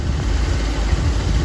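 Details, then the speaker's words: 1966 Ford Thunderbird idling smoothly and evenly with a deep steady rumble, no misses, knocks or ticks, back in the driveway during diagnosis of an amperage gauge problem and a battery drained from 12.5 to 10.5 volts; normal idle. "she's running fine she's idling smooth and great if you can hear she sounds awesome"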